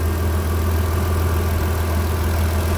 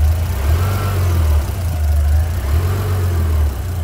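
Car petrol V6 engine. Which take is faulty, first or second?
second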